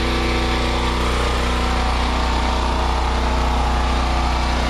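Steady, even engine drone with a constant pitch and no clanks or misses: the generator is running smoothly.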